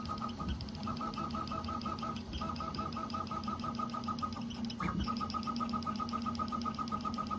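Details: Prusa XL 3D printer: short high chirps a couple of times a second over the motor hum, from inside one extruder. Cause unconfirmed; support suggested loosening the extruder idler screws.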